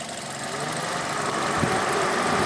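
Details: 2006 Mazda 6 GG 2.0 idling: dull knock under the running noise from worn connecting rod bearings, cylinder 1 bearings spun from oil starvation after stuck oil control rings burned 300–500 g of oil a day; fix is replacing the rod bearings.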